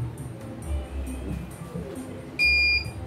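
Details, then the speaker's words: CNY embroidery machine (M21), sent in fully jammed with heavy rotation, calibrating with the small frame. One clean, high beep of about half a second over a quiet background: normal startup calibration signal, then it runs smoothly with no problems. "normal. Turunkan sepatu. Oke, langsung lancar, nggak ada kendala."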